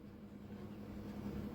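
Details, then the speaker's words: LG semi-automatic washing machine that rattles when overloaded: with the pulsator removed and the shaft held with pliers, the motor hums with a rough, uneven rattle. The pulsator teeth are fine, and the gearbox appears faulty and worn. "लेकिन खड़खड़ाहट की आवाज अभी भी आ रही है। इसका मतलब यह है कि हमारे पल्सेटर के दांत क्षतिग्रस्त नहीं हुए हैं। पल्सेटर में दांत होते हैं, इसलिए इसके दांत खराब नहीं हैं, और दोस्तों, ऐसा लगता है कि हमारा गियर बॉक्स खराब है।"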